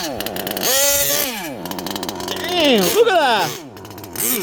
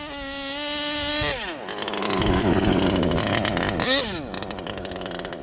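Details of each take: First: HPI Savage Octane gas two-stroke RC car, still breaking in, after a transmission teardown and shift-point tuning; owner says the carb is still set rich and will tune it better later. The engine revs and falls back with a soft, blubbery edge, not a crisp scream. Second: HPI Savage Octane gas two-stroke RC car, three-speed, after a transmission teardown to clear packed factory grease and shift points tuned; carb still rich and still breaking in. A high buzz revs, pitch drops sharply at each crisp, audible gear change: normal shifting.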